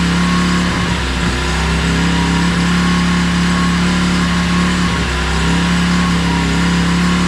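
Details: 2016 Tao Tao 110cc pit bike after a top-end rebuild and timing set at top dead center: starts on one kick and thumps along steadily with even revs, no knocks or rattles. Running normally.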